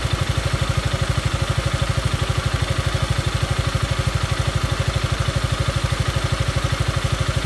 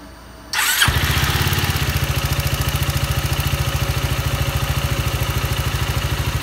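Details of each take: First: Yamaha Maxam (Magzam) scooter, investigated for abnormal engine noise: steady even idle with regular low firing pulses, no knocking or rattle; engine settles and runs smoothly. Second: Yamaha Maxam (Magzam) scooter starting and idling: loud, even pulsing tap about three times a second; abnormal engine noise, cause not stated.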